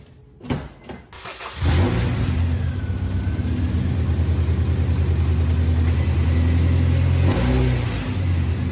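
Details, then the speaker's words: RD1 Honda CR-V after replacing all the drive belts: engine catches after a brief crank, then holds a smooth, steady low hum with an even beat and no belt squeal or chirp. "So, I got all the belts all done. This is what it should sound like."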